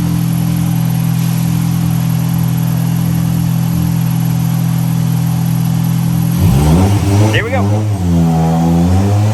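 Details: 1998 Honda Prelude with Jackson Racing supercharger, Crane Cams ignition box and coil, DC Sports header, still with catalytic converter, on dyno under load: steady low drone, revs climb smoothly and evenly with no misses or stumbles; clean, healthy pull.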